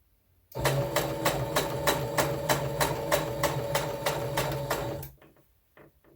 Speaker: okay my machine is making a weird noise listen to this